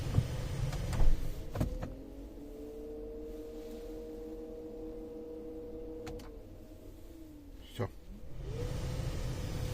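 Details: Renault Scenic 3 with M9R 2.0 dCi diesel, pressing start: no cranking, only the radiator fan whirring up to full speed and holding, starter never engages; wiring suspected, but nothing found yet.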